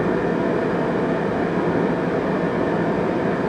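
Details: Riello RDB kerosene oil burner after new Danfoss 0.6 USG/h 60° EH nozzle at 8 bar, air screw raised to about 2-3: smooth steady fan and flame roar, no pulsing, rumble or whistle; firing cleanly.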